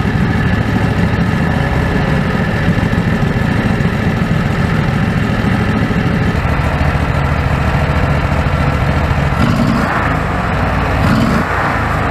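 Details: Predator 670 V-twin after adjusting the stock carburetor (brass caps removed), with a crankcase vacuum line. Steady, even idle with a firm low beat and no hunting or surging. Factory idle was unstable; now stable.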